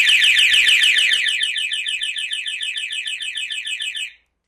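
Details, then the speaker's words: Triumph Sprint 955i, non-runner left sitting for years: alarm gives a loud, rapid high-pitched warbling siren that won't stop; genuine Triumph key fob fails to disarm it, one fob's circuit tracks found burnt. "Whoa. Jeez, that's loud. Okay, that's really loud. Right, let me grab these key fobs."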